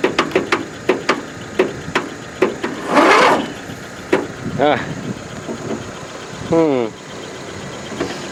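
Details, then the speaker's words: Free riding mower, throttle full, on jumper cables: clicking then two short starter whirs that never catch; owner suspects stuck, flooded or hydrolocked; rat's nest found, probably under shroud. "Oh something is not right we've got something stuck or flooded or hide you're locked"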